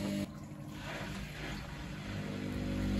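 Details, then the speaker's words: Baumatic BDI1485D4E integrated washer dryer on a test wash with only rags: even low drain pump hum with water gurgling as the drum empties, no rattles; drain pump working normally. "26 minutes now and it's just finishing up the pump out I caught it it sounds like it's going to try spinning"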